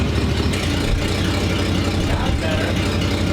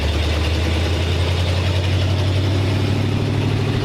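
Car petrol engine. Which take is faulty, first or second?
second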